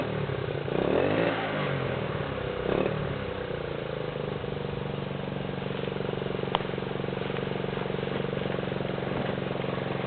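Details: 1979 Honda CT90 after electrical overhaul and a new coil, kick-started: small single idles unevenly with a light, fast ticking riding over it; a slightly loose cam chain tapping.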